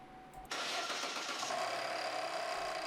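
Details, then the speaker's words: 2014 Chevrolet Cruze 1.8L four-cylinder running: steady run with a constant rough whirring rasp on top, traced by stethoscope to a bad water pump; water pump and timing belt to be replaced. "this particular vehicle has a bad water pump take a listen"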